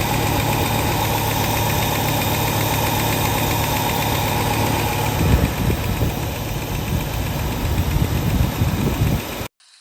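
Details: 1967 Lincoln with a newly installed carburetor whose inlet port was moved to the driver's side: a steady, even idle rumble with no misses, stumbles or knocks. It runs smoothly, with only an accelerator linkage issue remaining.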